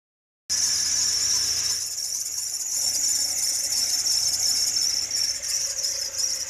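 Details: Toyota Fortuner at idle: high, thin steady squeal, suspected from the belts or a loose belt tensioner. Cause not confirmed.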